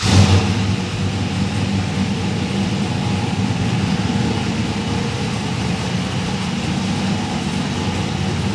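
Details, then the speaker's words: 1971 RS Camaro pro tourer, LS2 V8 with Edelbrock Victor Jr EFI intake, T400 with 5000 rpm stall converter, premium fuel: fires on the first crank with a short blip, then a steady, even idle with a deep smooth rumble. "One kick, that's nice. Yeah, it does fire up well."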